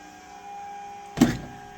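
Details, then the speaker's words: 2004 Mustang Cobra project, key on running the fuel pumps full time to check for leaks after tightening a fitting: faint steady hum with a thin whine, then a short thump; pumps priming normally, fittings slightly wet. "Let's turn on the fuel system, turn on the car, which will in turn turn on the fuel system, and see if we got any leaks. There you go. Here are the pumps."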